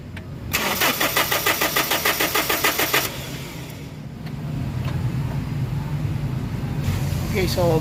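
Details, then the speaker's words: Common-rail diesel cranking with fuel line opened for bleeding: steady cranking about three turns a second for a few seconds, never catches; no fuel supply to common rail, no rail pressure, crank no start. "so makikita nyo guys na walang supply yung kanyang fuel system, especially yung common rail, kaya ang mangyayari nito, hindi talaga siya aandar."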